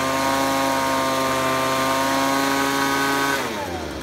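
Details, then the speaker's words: Ryobi leaf blower taken from the trash that would not rev up, after carb spray cleared a plugged, stuck high-speed carburetor nozzle. A clean, steady high-pitched scream held at full revs without bogging, then the pitch drops smoothly off throttle. Running properly. "awesome that is awesome that was just simply a plug a stuck high-speed nozzle in that thing that's why it wasn't coming up to rpms"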